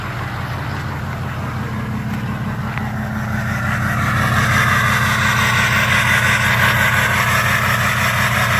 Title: Misfire rough idle?